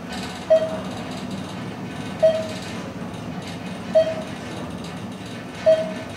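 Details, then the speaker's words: Thyssenkrupp-modernized elevator with Hollister-Whitney drive system in a Roanoke VA parking garage, after the mod, riding down to the lobby: low quiet car hum with a short chime about every 1.7 seconds, no bumps or scraping; very smooth, levels quickly; normal ride. "well it's very smooth that's for sure it's nice it levels really quickly and it has hollister whitney equipment up there"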